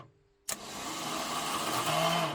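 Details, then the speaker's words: Ford Cortina MK3 Kent engine starter, solenoid bypassed to power windings directly: sharp click then steady even high spin with no grinding or dragging; normal starter motor free spin. "that was me bypassing the solenoid and just activating the windings of the starter direct"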